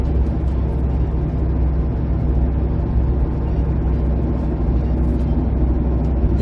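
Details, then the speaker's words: 2008 Jeep Compass driving, steady deep droning hum from worn front passenger-side wheel bearing; noise returned after tightening bearing nut, nearly disappears in one turn direction, returns straight. "se I tightened it up always went away but now it's back now can you hear that humming well unfortunately I that bearing is is shot"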